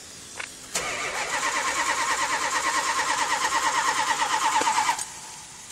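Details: 1978 Chrysler Cordoba on a hot summer day after transmission band adjustment and battery replacement: about four seconds of steady cranking, roughly three beats a second, no catch; hard hot start with long cranking.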